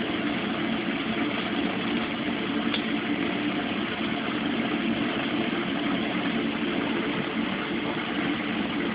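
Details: Mueller Special Brazilian washer, cold-fill-only machine that heats water itself, duvet load on 60°C wash with extra rinse, start of cycle: steady even rush of water pouring in, no knocks or buzzing; normal cold fill.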